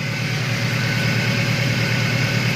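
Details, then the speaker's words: Engine hum at idle on cranking and running: main and rod bearings seen inside; hum traced to a dirty oil pickup strainer, crushed by a dented sump after it struck a rock on the road; alternator and fan fine. "ini penyebab bunyi dengung ini berasal dari filter atau saringan oli saringan oli itu kotor dan kena cutter ya"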